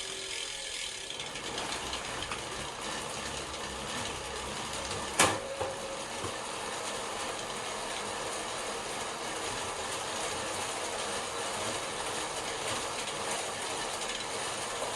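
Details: SRAM Force AXS cassette and chain on a bicycle: constant loud, gritty ratcheting rattle from the chain running over the cassette; owner suspects a SRAM chain problem, not confirmed.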